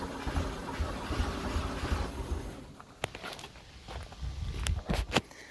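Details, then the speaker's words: 1974 VW Beetle with a freshly installed 1641cc engine, timing tweaked, carburetor spraying fuel but choke not staying closed, given throttle: uneven low chuffing for a couple of seconds, then dies to scattered clicks; fires but won't keep running, choke suspected. "all right not quite it definitely wants to it is close we are definitely close that is for sure"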